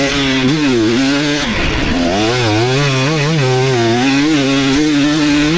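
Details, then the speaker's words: 2019 KTM 250SX two-stroke with Lectron Billetron 38 Pro carb, ridden during jet tuning: revs rise and fall with a sharp rattly edge under load, pinging/detonation from running lean. "this is still detonating I'll go 1/ 18 turn back out and I think that that'll end up being absolutely perfect"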